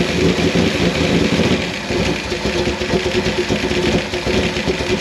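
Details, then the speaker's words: Fire-burnt 1955 Chevy Bel Air V8: loud, lumpy burble wavering slightly in level, no knocking or ticking, still clearing itself out. Normal idle, slightly rough. "that's not bad at all it just needs to clear up"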